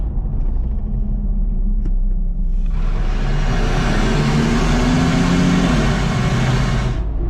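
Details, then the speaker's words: Nissan Xterra test drive with passenger-side oxygen sensor out, full throttle from 55 mph cruise: deep rumble builds into strong, clean pull through the 5600 rpm shift point, proving the passenger-side catalytic converter is obstructed, not the transmission. "blasted right up through that 55 5600 RPM shift point so we have an obstruction in the cats on the passenger side"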